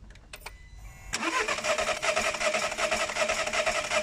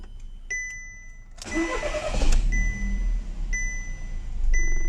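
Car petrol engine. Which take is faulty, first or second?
first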